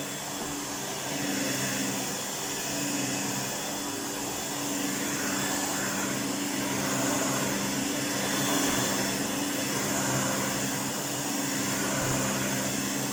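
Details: 1988 Electrolux 612 upright vacuum after full restoration with new pre-motor filter and dust bag: smooth even motor hum with steady tone and airflow rush, no rattles or scraping; sounds like new, normal running.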